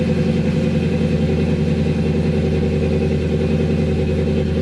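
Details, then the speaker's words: 1996 Impala SS 6.0 V8 with BTR Stage 4 cam and 3800 stall, just remote-tuned: cold start fires instantly, steady lumpy-cam idle, no misses, raised startup idle now coming down; normal cold-start idle. "I mean, at first it would run, then it would fire up it instantly. So he definitely put a higher startup idle on it, because it's way higher."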